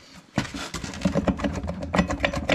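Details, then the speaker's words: RZR transmission on the bench: rough, uneven crunching rattle with every hand turn of the input shaft, from broken, chipped gear teeth. "sounds crunchy. Look at that, bro. Dude, that's fucked. Look at all that gear."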